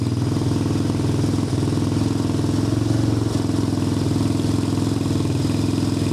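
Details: Apollo 250cc Chinese dirt bike after electrical repair (spark and key switch restored): even, steady single-cylinder putter at constant idle, no misses or clatter. Normal idle.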